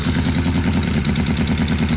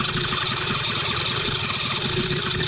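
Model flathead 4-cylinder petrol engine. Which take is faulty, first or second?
second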